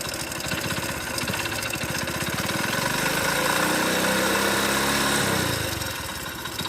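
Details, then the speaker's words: Hard, rapid knocking that rises and falls with revs in a worn-out motorcycle engine; the mechanic says engine failure is judged by internal connecting-rod noise, mixed with bearing and timing-chain sounds. "ఎందుకంటే ఒక బండి engine పోయింది అనేది ఎట్లా decide చేస్తాడు అంటే engine లోపల connecting rod sound అనేది వస్తుంది అనమాట."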